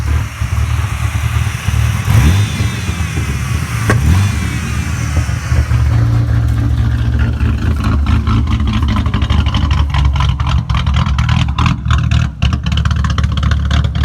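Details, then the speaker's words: 3.8 L V6 idling with the brake booster vacuum hose deliberately unplugged to imitate a cam: a deep, uneven, loping idle with loose clatter over the rumble, raw-sounding and smelly. This is a big vacuum leak causing the rough idle. "For now, I just wanted to see what it sounded like if it was cammed, so I just unplugged that vacuum line."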